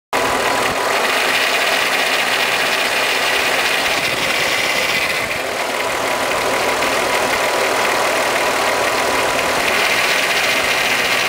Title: Timing Chain Noise 12v VR6 VW